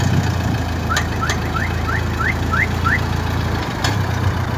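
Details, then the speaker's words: Renault car, exhaust system: quick rising metallic chirps about three a second over low steady idle, ringing metal sounds also on pulling away, slowing and braking, sometimes squealing metal-on-metal. "це звуки із вихлопної системи дзвінкі металеві як правило вони відбуваються при початку руху автомобіля при зменшенні швидкості під час тормозіння а ще на холостих"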